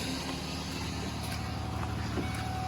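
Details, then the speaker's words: 1994 Ford Ranger after idle air control valve replacement: idle dropping from 1500 rpm to slightly below 1000, steady even low hum with a faint tone on top, no hunting or surging; normal smooth idle. "it's idling just at 1500 rpms dropping down to a thousand slightly below a thousand [Music] very smooth"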